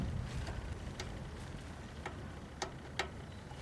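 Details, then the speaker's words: 2002 Tecumseh PowerSport OHH engine off, governor shaft rocked by hand: sharp irregular clicks as it slips in and out of its wallowed-out bore in the block, which lets oil leak out. "That governor, these motors are so poorly designed, that governor, where it goes through the block, will end up wallowing out."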